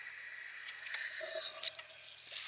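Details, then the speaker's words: Well pump system losing pressure over hours with air in lines: steady high hiss of spraying water cuts off leaving scattered drips; Harvard pop-off valve leaking, owner unsure whether freezing caused it. "Well, that's definitely the culprit there."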